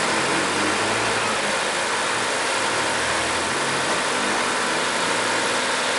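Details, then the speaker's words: Chevrolet Corsa engine on morning cold start after timing and injection harness work; starts first time, even steady idle with no knocking or tapping; normal cold start idle. "aí o motor pegou de primeira e serginho falou mas sim espero que dê pra ouvir no áudio e na galera não tá batendo nada motor está tranqüilo"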